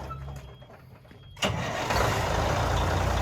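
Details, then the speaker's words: Peterbilt cabover diesel, started after priming and correcting swapped feed and return fuel lines that had caused very low fuel pressure: starter turns briefly, engine catches at once and settles into an even diesel clatter, a clean normal start. "It ordered fire coming right to life. Oh, look at that, boys. Dang, that thing ain't sounded that good ever."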